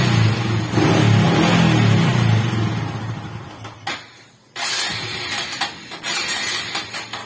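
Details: Honda XRM125 motorcycle, hard starting and stalling at idle: engine catches and revs briefly, then the beat fades and dies within seconds, unable to hold an idle.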